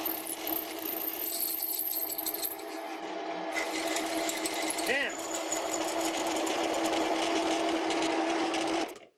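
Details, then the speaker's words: Large drill bit on a lathe at 350 RPM (down from 550) drilling a Ferm mini grinder holder: steady ringing whine with rough chattering edge; cutting harshly, likely short of lubrication. "Now I'm gonna try a smaller drill first, because this sounds, well, terrible."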